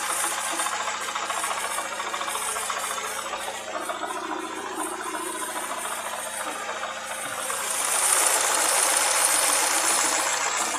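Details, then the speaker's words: Opel Astra F, engine hot: steady sharp ticking knock at about three and a half per second over warm idle from the bottom end; owner suspects a worn connecting rod bearing and will remove the oil pan to inspect. "Вот слышно такой вот неприятный стук двигателя. Непонятно что. Буду открывать поддон и смотреть вкладыши."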